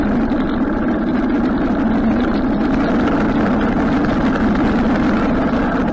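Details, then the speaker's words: Harley-Davidson Sportster after carburetor rebuild: even, steady V-twin idle without stumbling or popping; previously died after a minute or two and backfired through the carb, now idles healthy. "yeah it's idling great before it would idle for a minute or two and then it would die and it would backfire through the car block which is not doing now"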